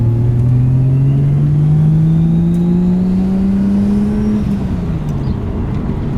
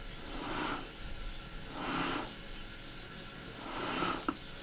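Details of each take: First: Nissan 180SX under boost after differential swap: engine pulls cleanly through gears, no clunks or gear whine, gearbox smooth with no crunches; driveline healthy. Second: Removed old rear differential from a Nissan 180SX, turned by hand: three slow swells of rough, gritty whirring, while the replacement diff is completely quiet; worn differential bearing noise.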